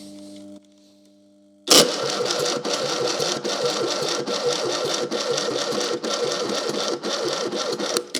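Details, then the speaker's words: Fiat 600 engine cranked on a jump booster: the starter drags it over slowly, about one heavy beat per second, and it never catches; the starter is getting very hot and is suspected to be failing. "And see, that starter's it's not turning over quick enough, is it? That starter really isn't turning over nicely."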